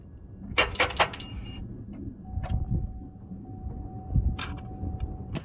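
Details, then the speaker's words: Truck with a big engine and completely dead batteries, turning the key before the jump starter is hooked up: a few sharp clicks, no cranking or firing; starter solenoid clicking from flat batteries. "So, you heard it. Click, click, click. It's just completely dead. The batteries are completely shot."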